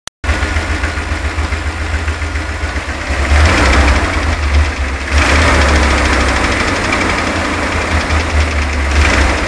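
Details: 1990 GMC Rally van, GM 350 (5.7) TBI V8 at idle: deep metallic knock under the rumble, first suspected a noisy lifter; oil pan removal found play in two rods, two or more spun rod bearings.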